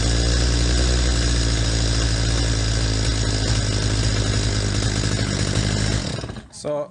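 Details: Stihl MS250 chainsaw during carburetor mixture adjustment: screams at a steady peak rev about six seconds, then falls off and stutters, sign of an over-lean setting; screw then backed to peak and turned further.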